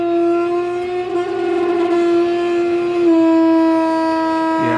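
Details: Car lift's passenger-side hydraulic ram raising a car under load: loud, steady, siren-like groan, only on the way up, silent going down; fixed later by a replacement ram from the manufacturer.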